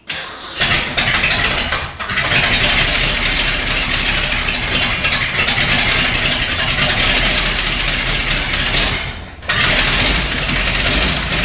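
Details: 1979 Ford F350 one-ton V8, first start after about 15 years parked in a field; factory fuel pump primed with ATF, it died from running out of gas, then restarted. The V8 catches and settles into a steady idle with brief dips; runs cleanly.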